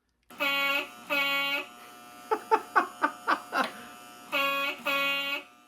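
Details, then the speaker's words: Post-war-style train horn powered by D batteries: three steady reedy buzzing blasts with quick runs of short bleats between them. The horn sounds clear and normal. "Because if you have 3, you're going to want to make sure that your ultra prototypical post-war horn is ready to go. Check this out. This is one of my favorite vintage sounds."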